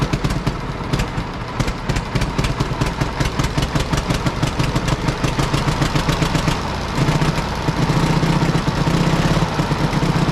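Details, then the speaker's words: Road grader four-cylinder pony engine, about 30°F morning, after freeing a stuck-open valve and correcting swapped magneto wires that fired it on exhaust stroke: quick steady popping beat settling into even run, no misses; normal running. "so once I switch them it popped right off"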